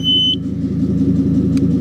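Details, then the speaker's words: Household smoke/CO detector inside a 2005 Ford Super Duty 6.8L V10 sounding its test button: one short shrill high beep, then the truck idling; detector works but did not alarm despite CO readings. "anyway so yeah it works that's still the test maybe it's sensing some anyway yeah so probably don't rely on one of these inside of your vehicle to measure whether or not you're got carbon monoxide problems"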